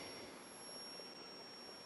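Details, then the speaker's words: Admiral 20B1 television at its first power-up during restoration. Thin, steady high-pitched whistle over quiet hiss; the horizontal oscillator is running, though the fault behind the lack of picture is still unknown. "I think that's six search sounds like the horizontals running"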